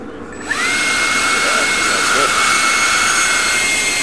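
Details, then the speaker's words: 10-blade EDF fan on a table, test run while balancing: clean, steady high whine with no wobble or rattle, almost no table vibration. Running well balanced. "that's another good one yeah sounded better and the table had almost no no yeah no vibration to it"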